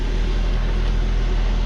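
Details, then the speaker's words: Copart-rebuilt Saab 9-5, first start after a new flex pipe, check valve and valve cover: soft, steady low idle rumble with no hiss, puffing or rattle from the exhaust. Runs smooth and quiet, exhaust sealed. "the car is silent it's awesome guys really really awesome wow very cool"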